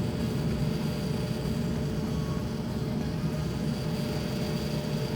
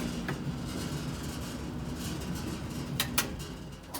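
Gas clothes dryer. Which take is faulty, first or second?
second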